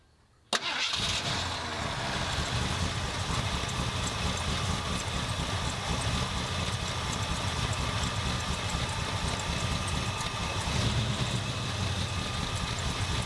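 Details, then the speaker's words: 1977 Ford F250 351M with Duraspark II ignition, carburetor idle screws about 2¼ turns out after repairs: starts at once, steady even idle sitting a little low, no misses. "Idling a little low, but it's not too bad."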